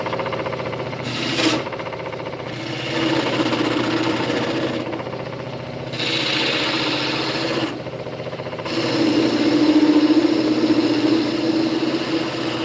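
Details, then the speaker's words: Wood lathe turning a walking stick: tool deliberately pressed against a post so it doesn't vibrate, giving rough rasping rub in bursts as tool presses in over steady hum; noisy but aids cutting, not a fault. "So if you're wondering what that noise is, I've got a post here that's rubbing up against. So when I push the tool on the wood, it hits that post and doesn't just vibrate. Da-da-da. So it's a little bit noisy, and I'm sorry for that, but it really helps the cutting."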